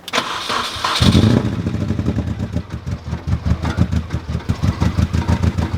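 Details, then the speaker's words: Mini Cooper R50 with an engine management light, after four new spark plugs: rough lumpy idle with an irregular beat, misfire persists; next suspects are the coil pack, leads and rusty connector ends. "So we're going to try and change the actual coil pack and the leads and see if that makes a difference. This could be what's causing the misfire, we shall see."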